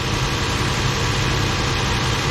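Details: 2006 Toyota Tundra started right after installing new battery with cleaned terminals (old one over 4 years old): steady, even idle with deep smooth rumble, no misses or knocks; running healthy.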